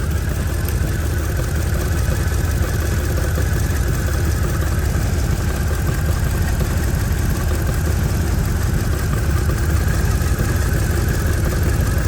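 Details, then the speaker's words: 2007 Mercedes-Benz GL450, random misfire and low power: a low, decent but imperfect idle with occasional uneven stumbles. The owner suspects a clogged catalytic converter is causing the rattle underneath, and the misfire shakes everything. "course, with a misfire, everything up underneath is going to rattle and shake."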